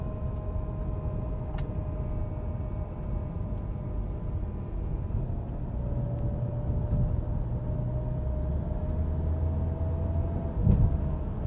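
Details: Subaru whining while driving: a steady mid-pitched whine over road rumble, pitch shifting slightly as the foot goes on and off the gas.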